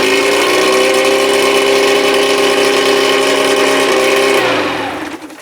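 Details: 1987 Johnson 40 hp two-stroke outboard on a 1975 16 ft Starcraft, first fire after restoration: loud buzzing drone holding steady pitch, then fading as it shuts off; outboard running normally.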